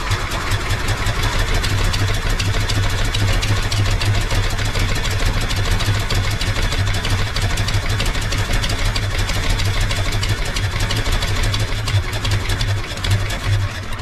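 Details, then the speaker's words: Wrecked 1974 Ford F100 parked for years, running on its own fuel pump from a small temporary tank: low, uneven idle that barely holds, only half idling; carburetor bowl gasket apparently leaking and inline filter leaking fuel. "Okay, so it's kind of half idling. I'm dumping fuel everywhere."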